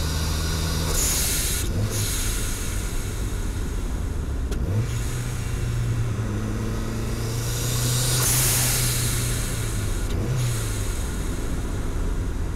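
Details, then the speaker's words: Turbocharged Mazda Miata with a blow-off valve fitted, mic in the engine bay, light driving at light boost and light throttle: steady low engine drone with short airy whooshes as the throttle lifts; healthy turbo setup. "now let's go do some light driving so you could hear what this thing sounds like on light boost and light throttle"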